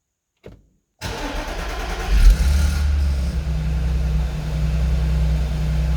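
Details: Audi S4 B8 3.0 V6 2010, manual, 110,000 km, cold start: cranks and catches with a brief loose rattle over the flare from a bad timing chain, then settles to a steadier idle.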